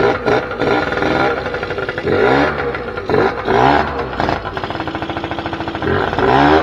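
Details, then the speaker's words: 2006 Keeway F-ACT 50 two-stroke scooter revived, running off a weed-whacker fuel tank with carb still needing sorting so it won't idle right: buzzy quick rev bursts falling back between, rough but running; normal running and revving. "say that was a success um obviously i got to get some stuff figured out with the carbs and stuff like that before it will actually idle right"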